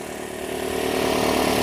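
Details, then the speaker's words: 2005 Nissan Altima 2.5L four-cylinder just started after valve cover replacement plus new spark plugs, coils and boots for oil-in-plug-tube misfires; steady even hum, no misses or ticking, smoothing out as it warms; repair confirmed, healthy idle. "looking good not too shabby yeah you're way low on this stuff oh yeah awesome repair confirmed looking"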